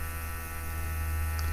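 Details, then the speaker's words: New aftermarket electric lift pump on a 2004 JCB 212S (2CX) Perkins diesel, engine off: steady, even low whining hum as it primes normally; the old pump had grown too weak to hold prime. "I got the new pump in you can hear it whining away"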